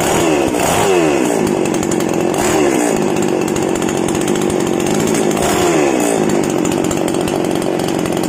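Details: Small single-cylinder outboard motor warmed up after a gearbox oil change, about two months' use and previously sounding rough, oil suspected: steady even buzz with a few smooth revs, no knocking or roughness; running normally.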